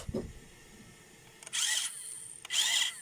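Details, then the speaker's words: Radio-controlled toy car small motor after resoldering detached wires: two short bursts of high smooth whirring as it spins up and stops; runs freely, repaired and normal. "Ну все, вот прям видно, слышно. Все, работает."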